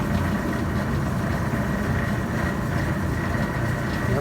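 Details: Maytag LDG312 gas dryer after replacing the gas valve ignition solenoid coils (heat previously wouldn't stay on, timer not advancing): steady, even drum rumble with constant low roar, no clicking or cycling off; burner stays lit, running normally.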